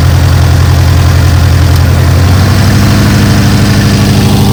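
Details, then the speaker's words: Dodge 360 V8 engine-driven air compressor after years sitting, governor working, slight miss: steady V8 drone eases and pitch shifts as compressor unloads, holding valves open; running but not pumping air, normal. "Okay, it kicked out. It's just running but not pumping air. It holds the valves open. I think everything's good."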